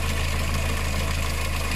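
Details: VW engine with timing chain, idling: a fast, light tick over the engine note. Hydraulic lifters tick when water-mixed oil from a failed head gasket flows through them; the chain stays quiet. Gasket is typically due at 100,000–130,000 km.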